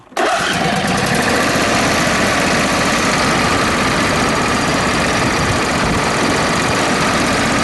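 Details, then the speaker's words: John Deere mower with a twin-cylinder engine running barely: a flat, ragged drone lacking the full twin beat, with one cylinder dead even after its kill-switch wire was disconnected. The ignition coil later measured no resistance and was completely shot. "Alright, so we still ain't got any fire on that cylinder."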